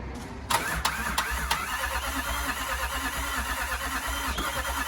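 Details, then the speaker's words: 2007 Range Rover 3.6 TDV8 turbo diesel, just fitted with reconditioned turbochargers after a blown turbo, boosted because the battery was low: short starter whir, then it catches and settles into a steady, even idle clatter, starting normally; smoking while intercooler oil burns off during warm-up. "pressure is there and looks like it's running let him warm up a little bit"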